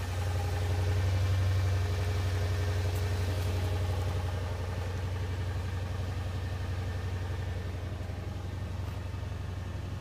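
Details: 2005 Toyota Tundra 5.7L i-Force V8, first cold start of the new year at 0 degrees: deep, even idle about four pulses a second, smooth, no ticks or knocks. Normal cold start idle.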